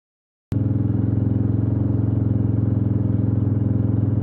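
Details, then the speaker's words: 1996 Suzuki DR350, first kick-start after over ten years sitting: steady thump with a faint knocking, grinding clatter; oil flow to the top end confirmed, owner plans to check the pickup coil under the stator cover. "When it was running, it sounded a little bit, had a kind of little knocking, grinding sound."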